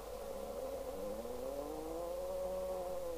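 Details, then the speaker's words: 1973 Pye Westminster W15AM all-transistor single-channel AM business radio on 4 m (70.26 MHz), receiver being aligned: musical heterodyne whistle sliding in pitch over hiss as a trimmer is tuned off frequency. "now we adjust the trimmer [Music] for no that's now it's on frequency if I go the other way we'll get a musical note"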